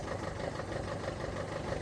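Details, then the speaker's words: Ford Figo diesel idling with misfire, no pickup and a blinking powertrain light: lumpy, uneven beat with a recurring dropped pulse; scanner shows cylinder 2 injector circuit open/short to ground, plus MAF, intake air temp and rail pressure codes. "this is running but one injector injector two is not working open or short to ground that's a problem"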